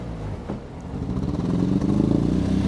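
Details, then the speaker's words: Mk5 Golf GTI donor car sold with an undiagnosed engine noise; petrol engine idles and revs with an uneven, stumbling beat, clearly misfiring and blowing. Cause not confirmed. "it's definitely misfiring it's definitely blowing"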